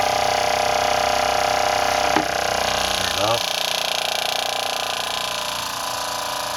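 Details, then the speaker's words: RV water pump after fitting accumulator tank and pump silencing kit: steady mid-pitched hum, then winding down at shutoff, slow to shut off; normal pump operation. "here you can hear but barely over the sound of the running water let's go back here you can hear it but it is a lot quieter A lot quieter"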